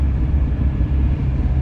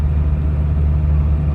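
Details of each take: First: GAZel van driving after unloading about 800 kg: deep, steady low drumming under the running rumble with nothing sharp on top; driver suspects a failed wheel hub bearing, unconfirmed. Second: Gazelle van just driven out of the service shop after complaints of knocks, crunching and untightened nuts: smooth, even low rumble while driving with no knocking, grinding or wheel hum; everything seems fine now.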